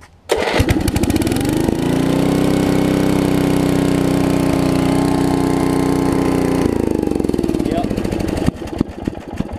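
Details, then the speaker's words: 1981 Snapper RER rear-engine mower with water in its fuel: small engine holds a steady drone while sharp ticking snaps break through at the start and finish. The spark plug boot is arcing to ground on a nearby bolt; the fix is taping the boot. "it's trying to ground out uh-huh it's trying to ground out on this bolt right here"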